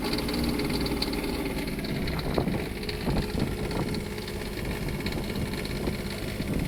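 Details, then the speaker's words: Onan 7500 Quiet Diesel generator on a 2002 Jayco Avatar diesel pusher, cold start after fuel filter change and priming: fires up and settles into a steady, even idle with light regular clatter; normal cold start and idle. "Let's do a cold start on a Onan Quiet Diesel 7500. Hopefully it don't blow up."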